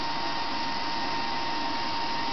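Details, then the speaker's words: Dell Optiplex GX280 desktop, variable-speed CPU fan, side panel off: loud steady rushing whir with a constant high whine, fan running flat out, "like a jet airplane"; computer otherwise works fine, no fix known. "it's cooling down the whole room sounds like a jet airplane taking"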